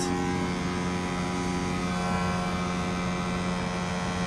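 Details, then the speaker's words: Ecoflow Wave 2 portable air conditioner running inside a C7 Corvette: loud, constant low hum with a buzzy edge that never varies; excessively noisy, and the owner suspects some plastic on the unit. "And it's noisy. Hear it? It's because of the plastic or something on here."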